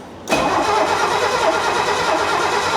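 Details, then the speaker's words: 1969 Mercedes donor car, points and distributor not yet serviced, checking for spark with a test light at the coil: steady, brisk even cranking that never fires; no light, no spark reaching the plugs. "No, there's no light. Gosh, this sounds so good though. It really does."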